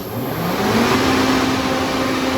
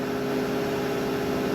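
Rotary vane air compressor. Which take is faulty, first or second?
first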